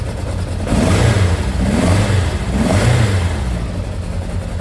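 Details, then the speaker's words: Kawasaki Zephyr 750 with a new battery, not run for years and with an intermittent electrical fault: revs rise and fall unevenly with a soft, woolly exhaust note. Rough running, getting crisper the more it runs. "although it's a little fluffy at the moment, because it hasn't been running years, the more I start it up and the more I run it, the crisper it gets."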